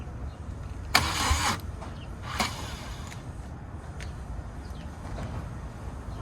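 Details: BMW R1200GS motorcycle two days after a new battery was fitted (it had been sluggish to start): two short starter bursts about a second and a half apart, then silence, never catching or firing; no-start.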